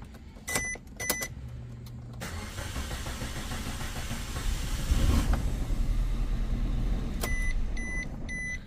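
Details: Maruti Suzuki Wagon R petrol K-series engine, late start for six months, worse when cold or after standing 20 minutes: after door chimes the starter cranks several seconds before slowly catching; long cranking, no fault codes on scan, cause not yet found.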